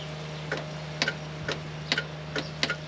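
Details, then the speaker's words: John Deere 4430 tractor unrun for 22 years, original ground clamp improvised; key turned, relay clicks a few dry ticks but starter never turns over; low battery voltage found. "okay we got clicked but nothing nothing happening"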